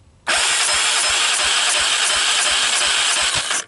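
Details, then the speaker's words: 1998 Honda TRX300EX single, choke on with jump pack, low compression (35 psi dry, under 60 wet): revving with fast chuffing about eight a second, puffing back through the carburetor; owner suspects an intake valve not seating. "the way it's kind of puffing back that normally indicates that a valve intake valve isn't seated properly"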